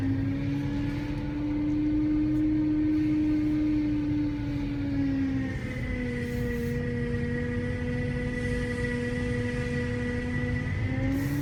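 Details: BMW E92 M3 engine running: clear, steady high whine over the engine, dipping slightly midway and climbing again; persistent whine, source not yet pinned down.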